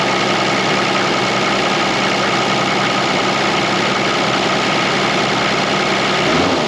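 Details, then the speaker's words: A Toyota HJ75 Land Cruiser diesel with about 200,000 km, parked about a decade and with glow plug power cutting out, idles with an even but sluggish clatter that sits too low. Raise it at the idle screw on the throttle plate. Low idle speed. "toally very low just a little idle screw there you see this there that little screw screws out onto that throttle plate and just holds it open"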